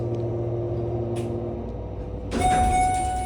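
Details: Repaired 1998 Schindler MT 300A hydraulic elevator after months awaiting repair; low steady hum, then pump motor starts with a clean, even tone, no groaning or strain; normal operation.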